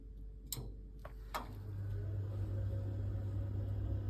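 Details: Boiler in a bungalow, valve micro switch ridden manually with heating and hot water off: a couple of sharp clicks, then a low steady roar builds as the burner lights and holds; boiler fires normally, hot water two-port valve suspected faulty.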